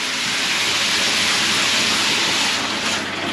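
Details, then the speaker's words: Loft header tank after replacing the worn-out ball valve, with shower pump and hot tap running: steady, even hiss of water with no hum, buzz or vibration from the tank valve; normal quiet flow. "Nothing's coming from the top, no noise from the old ball valve, which is here, which as you can see is completely knackered."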